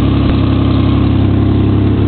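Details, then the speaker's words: V6 car that would not start until its battery was charged, idling right after starting: smooth, steady low idle with no misses, knocks or surging, idling normally. "not bad actually for the v6"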